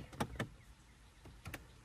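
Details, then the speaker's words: Quick paired plastic clicks, two bursts about a second apart, from behind the dash; the HVAC blend door opens too far and its actuator gear keeps turning, though the door still works. "so there's a door basically that opens like this and closes like this and when I push it it opens and it opens and then it goes dick dick dick dig it's like it's opening and then it's opening too far and the gear just keeps turning but it does work"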